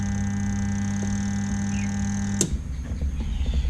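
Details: Samsung twin-tub washing machine WT15J79, spin motor won't turn: steady loud electrical buzz over two seconds, then switched off; motor hums but won't turn, shaft spins freely, windings shorted.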